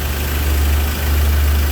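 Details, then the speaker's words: Ford Ranger after engine installation: smooth low steady idle with even beat, no ticks, knocks or stumbles; no check lights, starting and running normally. "Right, so again a quality job, no check lights on, vehicle starting, running, power."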